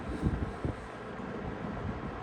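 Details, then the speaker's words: Late-80s/early-90s Toastmaster 20-inch box fan, serviced, on low speed: soft, even rush of air with a low hum and no rattles or rubbing; normal running on low. "So this is low. I always like these fans because the low is pretty powerful."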